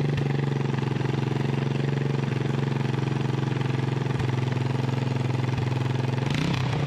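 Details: 1988 Honda TRX200SX single-cylinder engine on the bench just after full rebuild (cylinder bored .020 over, new crank bearings and seals, replacement case, JB-Welded stator cover): steady even thumping idle with consistent beat, no knocks or rattles; runs like new.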